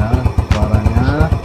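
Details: Yamaha Jupiter Z, cold engine, after carburetor refitted and pilot jet reduced to cure top-end stumbling: quick, even thumps about eight a second with steady beat and no stumbles; clean smooth idle.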